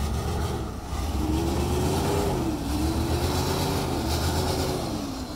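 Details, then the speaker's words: Revived junkyard Chevy started with a booster pack: uneven, wavering run with rattly clatter over a lumpy low rumble; owner suspects timing, PCM and filter issues, unconfirmed. "but yeah it runs yeah listen to it just clattering away i think so look at that another chevy running not very well"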